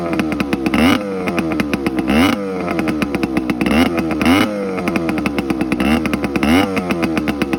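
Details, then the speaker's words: TC125 two-stroke dirt bike after carb clean, new fuel line with filter and spark plug swap; crisp buzz climbing cleanly with throttle blips and settling without stumbling, runs normally. "Pretty sure that's all she needed was a good old carb clean. She runs like a dream now."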